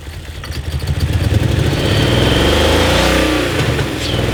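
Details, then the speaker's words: 2000 BMW 740i (E38) revving with a lumpy, uneven pulse about three beats a second, running on half the engine; cause found: engine computer (DME) connector unplugged; misfire. "yeah i think it's trying to run on half the engine that's what it sounds like"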